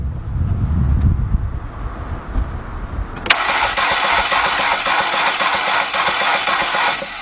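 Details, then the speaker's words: Cranking a 2.0 VW/Audi engine during a compression test on cylinder 3: fast, light spin with no compression beats. Cylinder 3 reads zero, cylinder 1 also zero, cylinder 2 about 100; the rear timing chain is suspected. "Zero. Nothing. So far we're at cylinders 1 and cylinder number 3 got 0 compression."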